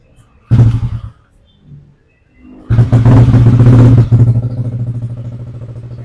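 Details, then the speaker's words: Yamaha Aerox after body/ground cable repair and fault-code reset, engine at 50 °C, TPS 17.6: cranks, catches, revs briefly, then settles to a steady idle at 1600 rpm; normal start and idle. "untuk RPM stabil di 1600."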